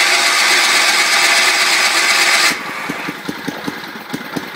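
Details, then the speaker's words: 1974 Sears Suburban SS16 tractor cold start on a booster battery after cleaning, with water in the engine. After a hiss, it coughs in weak, uneven pops of about three a second. One cylinder is not firing and it is flooding, spitting gas. "one cylinder cyinder is not firing turn off that [Music] ignition"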